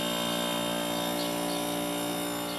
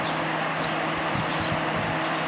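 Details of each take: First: Vintage Kenmore dehumidifier with a Bristol compressor, found at the curb: after a click the compressor hums steadily with no fan whoosh and no airflow because the fan motor is seized; it later proved low on refrigerant too. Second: Vintage Kenmore (likely Whirlpool-made) dehumidifier with Embraco reciprocating compressor, previously seized fan motor now running with cover off: steady even whir with soft airy rush, no scraping or knocking; fan runs free, though unit later found low on refrigerant.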